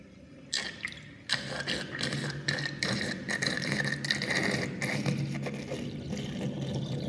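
Water swirling down with irregular glugging bursts about once a second, rough throaty gurgle as air fights the flow.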